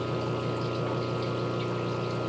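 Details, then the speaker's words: Aquarium air pump left to move around until it rubs against a surface: a constant low buzz and hum that keeps getting louder; the fix is seating the pump's rubber feet into a smooth filter cartridge holder. "it usually rubs up against something starts to buzzing as you can hear just keeps getting louder and"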